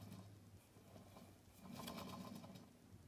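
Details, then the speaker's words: Late-1960s BSR/RCA console stereo record changer, platter spun by hand after relubricating the thrust bearing: a soft, gritty rolling patter fading as it slows; possibly the ball bearings rumbling, and the owner is unsure they are lubricated enough. "that are those the ball bearings making that sound that's a really interesting thing I've just come across here yours uh I don't know if I've lubricated this thing enough"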